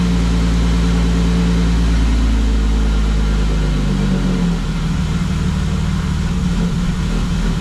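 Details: BMW E36 that keeps dying at idle, after PCV replacement and battery disconnect: loud lumpy idle that wavers and sags, near stalling; owner suspects MAF sensor, plans cleaning or replacing it.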